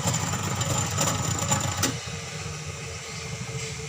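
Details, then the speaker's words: Sharp two-tub washing machine, cover removed, spin side running: a loud rhythmic creaking squeak, about three a second, from the spin motor, then easing off; the wash side does not work. "Ini tutupnya sudah dibuka itu suara di mesin yang keras krik krik krik krik krik"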